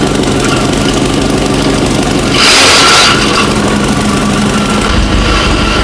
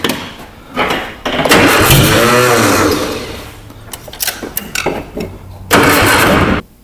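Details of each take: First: Abandoned 1960 Nash Metropolitan restarted after first revival, running really well; steady idle with a brief rev blip and loud fan whoosh over it, engine smooth and even. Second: Abandoned 1960 Nash Metropolitan being revived, exhaust partly torn off: bursts of cranking with ragged catches and sputters that never settle into idle; ignition timing admittedly off, hard starting.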